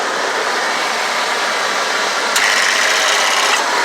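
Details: 1991 Ford E250 van, 5.8 L engine idling, 77°F day: AC compressor clutch clicking on and off rapidly from low refrigerant; two cans of refrigerant at the low-pressure port stopped the clicking and AC blew colder.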